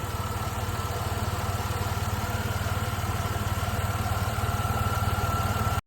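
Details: Jeep Liberty engine after valve cover seal work, just restarted after two years sitting, penetrating oil burning off exhaust bolt: even, steady idle with smooth low pulse, no misses, knocks or ticks; normal idle.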